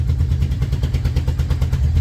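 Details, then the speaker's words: 1989 Yamaha VMAX that won't idle without the clutch and misfires on acceleration, warming up on partly closed choke: lumpy, uneven idle with missed pulses and stumbling; owner suspects carbs or spark plugs, unconfirmed. "So, I'm going to turn the choke down a little bit while it's heating up. You can hear it kind of missing."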